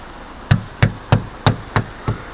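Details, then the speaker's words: Lada Vesta Cross, rear right door area: six sharp, hollow knocks about three a second. The owner suspects the glass is poorly glued and comes loose as the body flexes, but the cause is unconfirmed. "похоже короче что-то где-то или стекло попала ли стекло плохо приклеена хрен знает а издает эти звуки"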